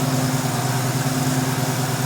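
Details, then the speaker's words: 1971 Ford Mustang Sportsroof (351 per tags), revived after 14 years, no coolant in it: steady even V8 idle, smooth low rumble, no knocks or misses; owner notes a little blow-by, calls it success, normal idle. "Got a little blow by. Hey, I'll take that. I call that a success."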